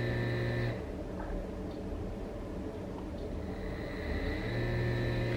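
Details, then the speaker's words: Brushless 3-phase motor on a WS55-220 driver at 30 V, sensorless with Hall sensors unconnected, stalled and then recovering: smooth electric whine, high tones dipping and returning as power changes, no grinding or clicks; recovers easily and runs healthy. "let's try to stop it and see after stalling if it can come out from the situation pretty easily as you can see it is doing quite well"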